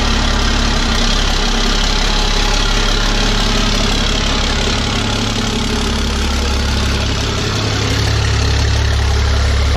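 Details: Normal idle on a 1000 hp 6.7 Cummins Dodge Ram drag truck after repair with the guard plate bolted back: deep, steady diesel idle with an even beat and no knocks or rattles.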